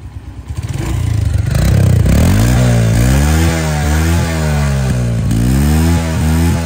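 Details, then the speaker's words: Small engine after repair: blips up and settles with a clean, even beat, no knock or rattle; running normally. "Tiếng máy là khi mình xử lý lại là không có còn nghe một tiếng động cơ nữa nha các bạn."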